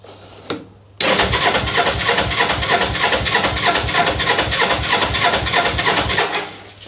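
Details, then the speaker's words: Motorcycle with carburettor, choke on, side stand up: catches abruptly and runs lumpy uneven beat about five seconds then dies; starts but won't keep running, fuel tap then switched to reserve. "Oh no, it's obviously picked up a bit of fuel in the carb. Let's knock the choke back off a minute. Well, it started for a second."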